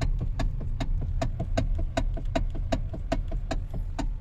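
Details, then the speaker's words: Hyundai, likely an i30, clunking when the steering is turned: sharp, regular clunks at four to five per second over a quiet idle, heard from underneath with the engine running; traced to a worn steering coupler spider bushing. "Para ito sa mga nagtatanong kung anong klaseng tunog ba ang naririnig sa steering ng ating m Hyundai aasan spider bushing yung pinost ko nung nakaraang video"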